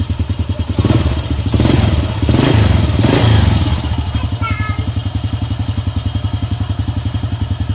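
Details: Honda EX5 Dream single-cylinder engine idling after refilling engine oil and tightening the loose screw that caused the loud knocking; even, steady low thump about three to four beats a second, no knock, healthy idle.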